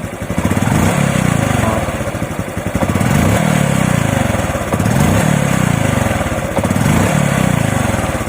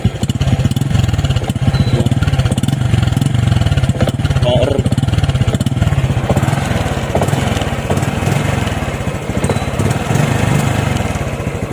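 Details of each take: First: RS125 Fi motorcycle that hesitated and coughed on throttle despite a new throttle body, spark plug and fuel filter; after replacing the faulty spark plug cap, the engine blips up and settles back cleanly every two seconds with no coughing or stumbling. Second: Misfire on an RS 125 FI motorcycle: uneven, stumbling pops as the throttle opens and revs won't rise; throttle body, spark plug and fuel filter already renewed, suspected faulty spark plug cap giving weak spark.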